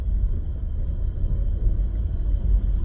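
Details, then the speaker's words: 17-year-old car driving after new rear shocks and two new rear tires were installed: low, even road rumble, no knocking, clunking or droning from the rear; previous rear noise gone. "The vehicle is riding way better, way smoother, more quiet. I'm not hearing no noise in the back."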